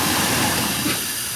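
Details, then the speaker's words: GM truck (Avalanche/Suburban/Tahoe type) running shaky with low power, at idle: a steady airy hiss over a low, uneven engine note. A small thin vacuum line has popped off its fitting, causing a vacuum leak; the fix is to reconnect it. "start this vehicle up i want you to listen you'll hear air sound basically a vacuum leak go ahead and start it so if you hear real gear listen to it right here there's a vacuum leak on his vehicle"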